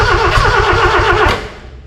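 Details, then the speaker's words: Austin 7 engine in a rat rod, after 15+ years sitting, carburettors uncleaned, hot-wired to the coil: starter cranks with a quick even chug, faintly catching on a few strokes then dying, wanting to run. "Well, I think you can tell that it wants to go, which is pretty exciting really."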